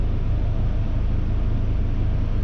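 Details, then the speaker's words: 1994 Honda Accord, 256,000 miles, after repair of surging high idle, AC switched on: smooth, even low rumble with no hunting or dips under AC load. Normal healthy idle. "Hopefully we're good to go. Wow guys, the idle looks really good."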